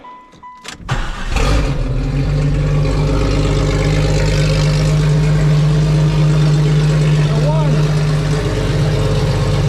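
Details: 1995 right-hand-drive Jeep Cherokee with an untested used XJ engine, after throttle body swap, restored fuel pressure and timing adjustment: cranks, catches within a second, settles into steady even idle; runs properly.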